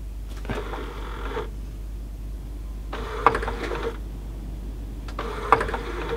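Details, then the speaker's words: Sony CDP-C325 5-disc CD player that won't read discs, on the bench: short motor whirrs and plastic clicks about every two seconds as the changer cycles without settling properly; mechanism fault, cause unclear. "so now it's got an issue there oh is that because I'm sitting on the bench here it doesn't always drop properly on when I'm sitting there for some reason"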